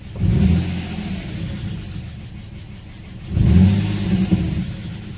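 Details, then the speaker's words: Nissan VQ35DE (G35/350Z) after about 10 minutes of idling, coolant not past 183°F, without a throttle body reset: two quick throttle blips each returning cleanly to a steady idle near 700 rpm; normal idle control. "the car has been idling now for about 10 minutes and temperature does not go past 183 as far as idle idle is a doing really well even if I read it it doesn't seem to fall far below the 700 mark"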